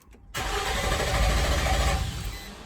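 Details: 2006 Nissan Xterra cranks but won't start: steady cranking for about two and a half seconds with no firing; failed valley cover gasket let oil into plug tubes, shorting ignition coils and blowing 30 amp ignition fuse.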